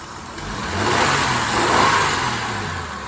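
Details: 1999 Honda Odyssey, about 301,000 miles, after resetting the battery: engine revs up smoothly, holds, then settles to even, steady idle with no stumble; normal running, though a misfire was still suspected.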